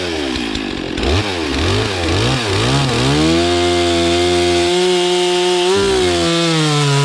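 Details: Stihl MS460 chainsaw stored 5 years, after new air, fuel and oil filters, oil pump repair and bar greasing: uneven blips at first, then a steady high two-stroke buzz that climbs cleanly when revved. It runs normally.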